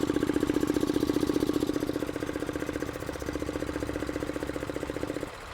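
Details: Hyundai/Kia with code P0441, vacuum gauge hooked to the purge line and duty cycle monitored on a scan tool: steady rapid ticking about two and a half a second over a quiet idle; healthy purge valve cycling normally.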